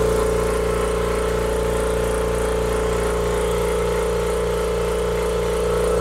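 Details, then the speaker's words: Kobalt Quiet Tech 26-gallon oil-free air compressor, pump thumping about 190 strokes per minute with thin steady squeak from the cylinder not yet rebuilt; worn piston cup needs replacing, other cylinder with new piston ring sounds like new. "I can tell that there's some squeaking noise coming from this one so this one's worn to the point of needing to be replaced also"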